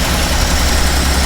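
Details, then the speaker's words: Original 6-volt 1951 Pontiac, unmodified, cold start with original carburettor and automatic choke; vacuum piston opens throttle slightly: steady even low rumble, no knocks or misses; healthy cold fast idle on choke. "On voit que le papillon s'est ouvert. Le moteur tourne en ralenti accéléré."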